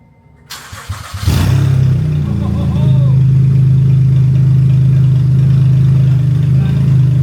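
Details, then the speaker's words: 2014 Honda Odyssey V6, first start after installing new aftermarket catalytic converters with nothing fitted past the cats (open headers): barks into life, then a loud, deep, unmuffled exhaust drone. "s just um pretty much cats and nothing else. Open headers."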